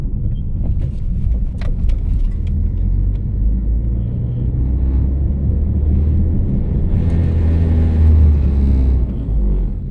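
A steady low hum rides under the road rumble while driving, with faint high chirps now and then; the cause isn't clear from sound alone.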